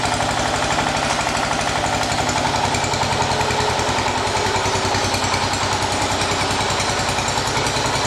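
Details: 1980 John Deere 212 engine after crank seal replacement, cold day: steady, even chugging beat, no misfires or knocking; normal running.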